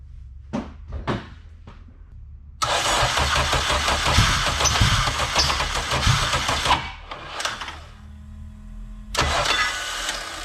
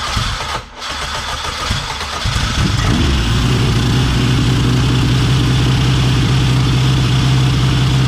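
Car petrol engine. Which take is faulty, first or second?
first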